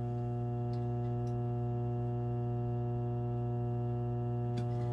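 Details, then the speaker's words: Coleman DGAA056BDTA furnace showing three-flash "combustion air switch failed to close" code; the air pressure switch was not the cause, the inducer motor is: steady electrical hum with no fan spin-up, motor seized. "I found out the hardware after spending 26 bucks on that switch that when the code for the switch happens it may not be the switch at all it may be this motor and it is"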